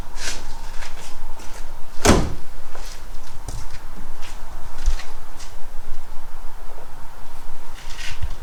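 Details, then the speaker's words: 1969 Renault 16, not run in years, cranked on an external fuel supply with the original HT lead refitted; starter churns with sporadic sharp pops, seemingly firing on maybe one cylinder but never starts. Owner considers new plugs and HT leads; cause unconfirmed. "It seems to be firing on maybe one cylinder."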